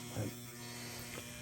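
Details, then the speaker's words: Lock relay in a restored 1971 Williams Klondike pinball machine, long stored in a cold garage, energized at first power-up via left flipper button: constant low steady electrical buzz; relay not shorted, seems old and worn out. "relay doesn't seem to be shorted or anything it just seems to be old and worn out"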